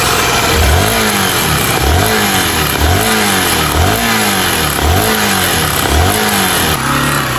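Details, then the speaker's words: Motorcycle with a misfire, injection light on, and noise from the top of the cylinder: a harsh metal-on-metal clatter on each throttle blip, a top-end knock. Something suspected loose; cause unconfirmed until the engine is opened. "É, tem um barulho aí, ferro com ferro. Tá impressionante, entendeu?"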